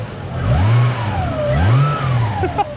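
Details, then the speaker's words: Toyota Supra with swapped turbo 2JZ-GTE revved twice at auction: a thin whistle rising and falling with revs as boost pours out of open nipples where vacuum lines are missing. "it's where all the boost leaks are like listen to this thing hang on oh yeah it's just pouring out a whole bunch of boost from those nipples"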